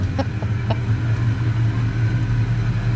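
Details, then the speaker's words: Foxbody Ford Mustang with AOD automatic, driven after sitting about 11–13 years in storage; low smooth engine hum at easy steady pace, no slipping flare, whine or clunk. Normal automatic transmission operation. "but this one is actually still functional which is pretty crazy a lot of times they'll gum up it starts up right that is wild"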